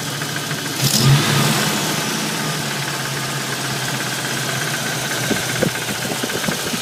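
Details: Warm-started 302 HO V8 at 76,000 miles idling with a light, uneven tapping knock, roughly four per second, over steady idle; cause not pinned down. Engine knock at idle.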